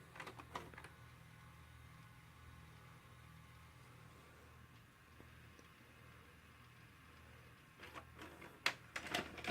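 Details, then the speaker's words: Hitachi UX625 VCR: quiet motor hum while rewinding on a blue screen, then a burst of clicks and clunks as it ejects the cassette by itself. This happens predictably every time, and cleaning the rotary encoder switch didn't help; cause unknown. "I have a blue screen rewinding and is probably gonna stop here shortly yep stops and it's gonna start rewinding and watch it eject itself pretty soon"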